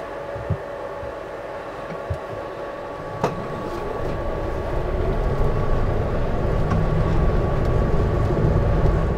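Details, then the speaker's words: Greenworks CU800 82V 16kW electric UTV with an added tray-mounted cooling fan for hill overheating, heard while driving: a steady whirr over low drivetrain rumble that holds as the rumble builds; the fan is running normally. "so as you can see you can definitely hear the fan running now however when you're driving along in this unit it sort of kind of Blends out just with the general noise when you're going over the track"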